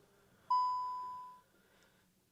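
A single clear chime rings at ignition on and fades over a second; the ECUs aren't talking, traced to a faulty 645 relay.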